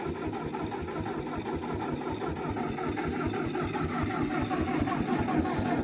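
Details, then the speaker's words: Old Ford half-track tractor that sat in a field 5 years, started after tapping the starter; harsh, raw popping bark on every firing pulse, sounding straight off the manifold as if no manifold is fitted. "Wow, that almost sounds like that it's just straight off the manifold. Or, you know, there is no manifold."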